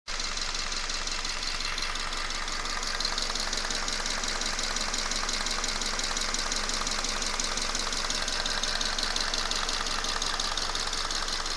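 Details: 2011 Subaru Forester FB25 flat-four, 126,000 km, 0W-20 oil, using 1-2 L per 5000 km, warm idle only: a quick, steady metallic tapping over the engine note. Owner attributes it to camshaft wear, not a piston; not confirmed.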